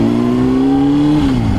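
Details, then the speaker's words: 2005 Honda CBR600RR, 29,742 miles, valve check believed done at 20,000 per the previous owner, ridden hard: the engine note climbs strongly and evenly and drops at a gear change with no misfire or rattle. Normal, strong acceleration. "Yeah, as you can see, it pulls strong, drives straight for the most part."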